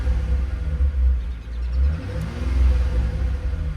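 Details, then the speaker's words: Aftermarket electric exhaust cutout valve on a Mitsubishi 3000GT VR4, recorded from inside the car, with revs: once the valve fully closes the exhaust loses its bass. Muffled rumble rising and falling with throttle blips, no bark. Owner suspects leaks from cheap clamps. "And then this is closing it. it loses that bass once it closes all the way."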